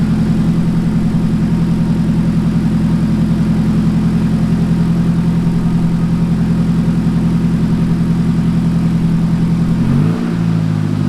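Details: Nissan 180SX engine after accident, run on temporary fuel pump setup during inspection: smooth steady low idle with even beat for ten seconds, note shifts near end; engine confirmed good — normal idle.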